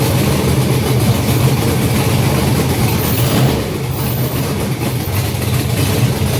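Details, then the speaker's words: Junkyard GM LS 5.3 V8 first fire on engine stand, no coolant, short run, block about 98 degrees: steady even idle, smooth low rumble, no knocks or ticks; normal idle. "Sounds good. And we have a runner. So I think the thing sounds pretty good."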